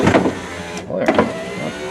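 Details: 1994 Ford F-150 door with replacement window motor, track lubed with engine assembly oil: steady electric motor whir with a brief stop and restart, smooth and even, no grinding or binding; window motor runs freely.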